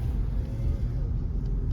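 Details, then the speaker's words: 2015 Toyota Venza driving on road with windows closed and AC off: steady low road rumble, no vibration or rattle from the rear; rear heat shield rattle was suspected as the differential at first. "okay so we're driving there's no vibration nothing on the back"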